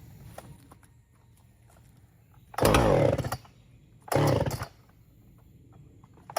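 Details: Free Husqvarna 455 Rancher chainsaw, unrun for about 3 years, revived with carburetor cleaning and repair, cutting limbs: idle burbles evenly between cuts and it revs cleanly to full throttle in short bursts without bogging or sputtering; runs healthy.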